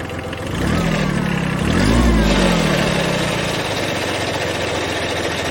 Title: Kubota B7100 HST rattling noise